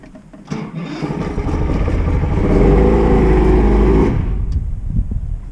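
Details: Boat outboard motor, after carburetor repair for bad floats: catches, revs up smoothly and settles back with an even beat, no misses or stumbles; running normally.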